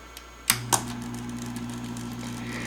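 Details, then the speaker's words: 1960s Smith-Corona Electra 210 electric typewriter, just switched on: a couple of sharp clicks then a steady low electric buzz from the two-speed motor; noisy but works fine, owner suspects hardened rubber bushings. "a bit noisy the motors a bit buzzy probably the rubber bushings have hardened over the years but it works fine"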